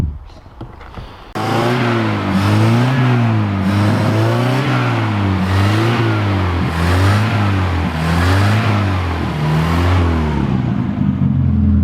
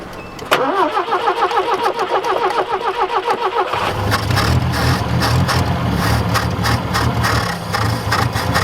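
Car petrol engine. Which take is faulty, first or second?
second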